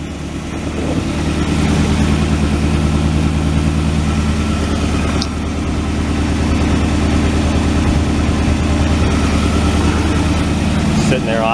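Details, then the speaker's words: 1967 Ford Galaxie 500 V8 on its old two-barrel carb after some fine-tuning, started without touching the gas: a lumpy, uneven idle with occasional popping and dragging; the owner suspects a dead cylinder, and the carb is still iffy. "so here we are after a little fine-tuning and it still needs some bugs worked out I think we got a dead cylinder we're dragging"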